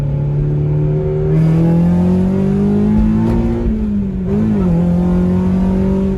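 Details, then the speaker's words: 2000 Honda Civic Si EM1 with homemade exhaust and worn suspension, accelerating through gears into third: deep exhaust drone climbs smoothly, dips briefly on shift, holds steady; clean strong pull, though owner notes a slight miss elsewhere. "Ooh, tripped in third. That's a nice clutch. Yeah, sounds good."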